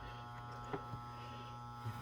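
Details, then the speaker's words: Pinball machine being cleaned and repaired: on power-up a steady low mains hum and a couple of faint clicks are heard, but it never resets. Owner suspects the reset coil, either not getting power or not engaging the relays. Not confirmed. "see definitely not resetting so turn it off all right so definitely the coil for the reset is um got an issue"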